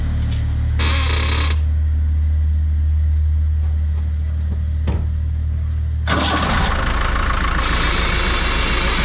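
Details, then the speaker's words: Ford Transit van idling with the steering wheel turned side to side: rattling, clunking knocks from the front wheels, typically from worn ball joints (rotil); lifting under the control arm makes the noise go away. "Gördüğünüz gibi araç ses yapıyor. Bu sesler genelde rotillerden gelir."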